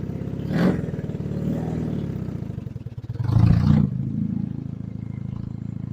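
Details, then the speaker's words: Honda CB175 twin, warmed up at fast idle on a 45°F day, after running poorly on choke: a steady, even low putter with a couple of brief throttle blips, idling normally and running great. "I'm pretty pleased with this. This is running great."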